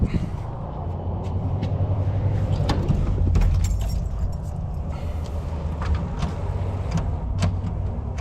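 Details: 1937 Chevy Master Deluxe Coupe that has sat a long time: starter turns the engine slowly and labours, about four sluggish beats a second, after 10–30 minutes on a small charger; weak battery needs charging.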